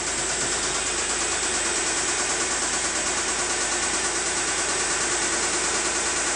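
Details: Mitsubishi 3000GT SL at idle: fast light ticking about three per second over a thin, hissy idle, a top-end tap; owner suspects the lifters but is not sure; engine knocking, cause unconfirmed.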